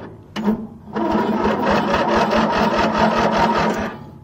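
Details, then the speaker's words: Craftsman mower with 20.5 hp pressure-lube twin, first crank on factory wiring with jump pack: starter spins at about five even pulses a second, no skips; compression sounds nice and even. "she turns over and has some pretty nice and even compression"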